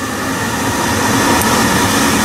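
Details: Biasi B-10 boiler with Riello oil burner, after bleeding air from fuel line and closing bleed valve, burner cover off: steady even roar with no sputter or pulsing; burner lit with a clean, stable flame.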